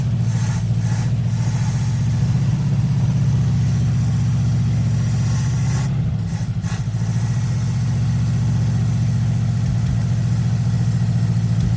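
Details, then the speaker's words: Small block Chevy 350 V8 from a 1979 Monte Carlo that sat 27 years, first run after new plug wires and vacuum hoses: a loud, slightly uneven loping idle with an audible accelerator pump; the carburetor needs a rebuild, though the engine held pressure. "it took a few hours to get it running and replace the plug wires some vacuum hoses and i'm sure you can hear that accelerator pump and the carburetor definitely needs to be rebuilt but it started up held old pressure"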